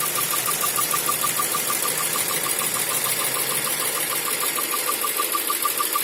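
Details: Toyota 4A-GE 16v engine, sharp even ticking about three per second over engine hum, appears when hot or after minutes at medium/high speed; also jerking, can't exceed 3000–4000 rpm; TPS, distributor, plugs, fuel pump replaced, no ECU errors; cause unknown.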